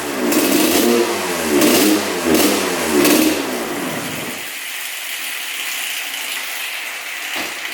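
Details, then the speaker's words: 1986 Honda CR125 two-stroke dirt bike, throttle blips: surges then sags, a full-throttle bog. Owner suspects a partly clogged pipe. Runs again, likely partly from the spark plug and a stuck throttle slide. Tank looked like straight gas, not premix. "but sounds pretty good but you can hear that bog at Full Throttle"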